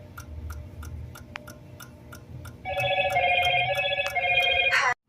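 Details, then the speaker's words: Samsung RS27KLMR refrigerator that stopped working after an electrical problem: fast, steady relay clicking, about three a second, from the DA41-00139A control board with an unstable power supply; fan running, damaged connector seen. "Aquí ahorita tenemos una fuente inestable."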